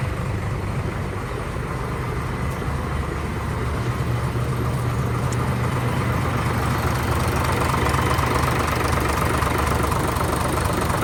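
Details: Hino JO8C truck with an inline (pump-line) 210 hp diesel, which started easily: steady, even idle with a deep rumble and regular firing beat, no knocks or rattles. Engine sounds healthy; normal diesel idle.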